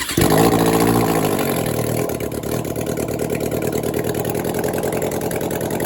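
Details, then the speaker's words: 1996 Suzuki GSX600F after an engine swap, first start with carburetors just fitted, choke on and leftover fuel in the carbs: catches quickly with a brief rev, then settles into a fast, steady idle with even pulses; starting and idling on choke. "Now the carbs are on. We have choke already. So maybe has some leftover fuel in the carburetors."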